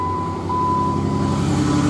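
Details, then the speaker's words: Jeep JKU after oil leak repair with new parts and new plugs, oil refilled, started after the battery had been dead: engine catches and settles into a steady, even petrol idle with no misses or knocking; normal idle. "Back and running. Might smell a little bit. New plugs."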